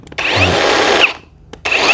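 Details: Cordless electric chainsaw, after checking chain tension and chain oil feed: two short bursts of high steady motor whine with even chain chatter, no bogging; running normally.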